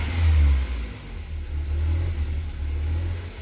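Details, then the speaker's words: BMW E36 Compact 316i 1.9 petrol engine held at 1100 rpm by throttle, surges and sags and won't hold idle when released, regardless of temperature; idle control valve suspected first, cause unconfirmed. "aunque lo veáis a 1100 vueltas estoy pisando el acelerador si lo suelto no se aguanta"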